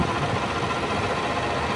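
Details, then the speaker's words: Suzuki Swift with its idling engine running: the AC compressor gives a constant harsh rushing roar with no clean tone. It failed after only about 8 months, is not a piston type and cannot be repaired, so it will be replaced along with the condenser. "Kailangan natin siyang palitan ng panibago. Hindi na natin kasi marirepair yung compressor na ganito mga bossing, lalo na yung ingay na ganyan."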